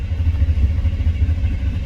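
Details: 1993 Chevy C1500 5.7L (VIN K) with code 54 fuel pump relay/circuit fault: steady low starter churn turns over but never catches; fuel pump primes at key-on but gets no power while cranking, so no fuel.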